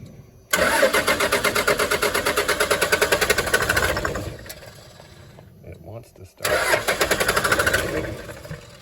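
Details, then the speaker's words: 1996 Dodge Ram 2500 with a Cummins 12-valve diesel, sitting seven years. All six injector lines are cracked for bleeding. Steady starter cranking at about three compression beats per second never catches: a crank-no-start with the lines bone dry and no fuel delivery. "start nothing yet nope it's bone dry"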